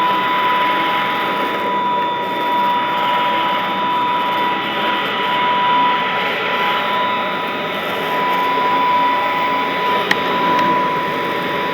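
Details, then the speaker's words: Vintage all-metal Royal Model 153 vacuum, owned 22 years, 3-amp bushing-style motor with belt tension kept light; even, quiet hum with steady high whine, no wavering or rattling; normal running. "Wow, what a smooth running, very quiet. I mean, it's the kind of sound that might help you sleep. I mean, it's that kind of a sound."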